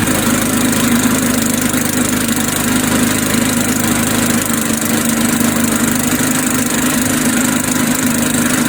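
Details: Old Sears Craftsman Eager 1 mower, single-cylinder Tecumseh engine, air filter installed, smoking off; steady, even fast idle with loud, raspy exhaust, no misses or surging, running normally.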